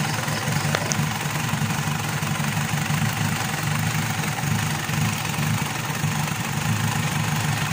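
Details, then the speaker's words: Mitsubishi Pajero diesel that starts then dies after about a minute: steady low idle rumble, no misses, runs only while priming pump is used; weak fuel return and low pressure blamed on injection pump, injector and pump need calibration. "so chineck natin yung ah return yung return niya ay mahina din yung tulo so nagba-back click siya mahina yung return niya"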